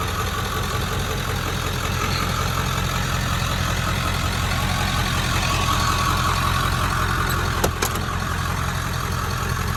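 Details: 1997 Ford F-250 with the 7.3 Power Stroke diesel, automatic, 4x4, 125,405 miles, after a cold start: steady, even diesel clatter at a settled idle with no misses, knocks or hunting; healthy and smooth.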